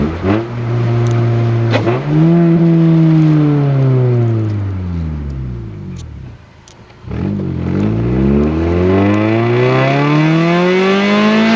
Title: 2000 acura EL - stock with exhaust leak :)